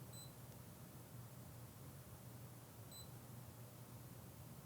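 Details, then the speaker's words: Fluke 125B scope meter in record mode, measuring temperature with a thermocouple and event threshold set to off: two short high beeps about three seconds apart in a quiet room, each one flagging a new minimum or maximum reading. "which means that now anytime there's a new minimum and maximum you'll hear a beep we'll press done and then f4 to run so you hear the beeping every time there's a new min and max"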